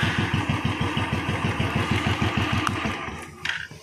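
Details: Royal Enfield Electra 350 after the starter one-way clutch and bearing were replaced and the old engine oil changed; before, it would not start on the starter. Now strong, even thumps about seven a second, then shut off. It starts and runs cleanly.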